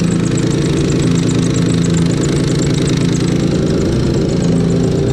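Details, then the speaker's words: Turbo VQ35 swapped Nissan S13 at idle after tightening AN fittings: even idle with irregular clicking knock riding over it, not tied to load, from the front; owner suspects a loose belt tensioner. "There's a bunch of clicking, knocking coming from here. It sounds like the tensioner."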